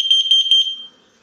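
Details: Tepoinn digital carbon monoxide alarm with LCD display, AA battery powered, rated 85 dB at 10 ft: shrill, rapid high-pitched beeping, about six pulses in under a second, then fading, as the display reads several hundred ppm, up to 999.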